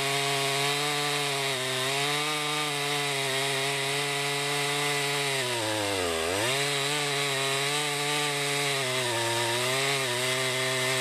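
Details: 2020 Stihl MS261 chainsaw, non-M-Tronic standard-carburetor version, 20-inch bar, cutting oak: high steady scream dips briefly as it bites into the cut and recovers quickly; normal, healthy saw pulling well under load.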